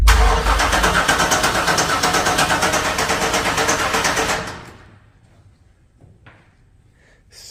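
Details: 1996 Chevy Impala SS cranked for the first time in over 10 years with fresh gas and key lock bypassed; starter churns at three even pulses a second but never fires, fuel pressure suspected too low; crank no start.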